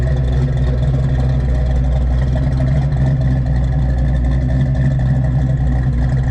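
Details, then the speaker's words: 1986 Fox Body Mustang 408 stroker with Holley EFI and MSD coil, after locked-up oil pump repair, initial startup and distributor sync, not yet tuned, some wind noise: deep even rumble, steady idle, no knocks or ticks; healthy. "it sounds good it does have a holley efi system on it for a fox body"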